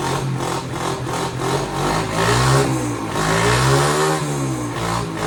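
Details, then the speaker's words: Chinese 50cc ATV left outside for years, first start on a newly fitted carburetor. The small single-cylinder surges up and down in revs and won't hold a steady idle; possibly idle mixture or idle speed adjustment, not confirmed. "right. She She's not idling."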